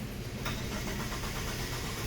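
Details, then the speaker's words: Chrysler PT Cruiser with a no-crank complaint, starter relay tested by pushing the ignition switch by finger: strong steady starter whir and even cranking rhythm, no firing because key must be cycled; starter turns engine fine. "hear that it cranks it creaks it's not starting because I'm gonna have to cycle the key"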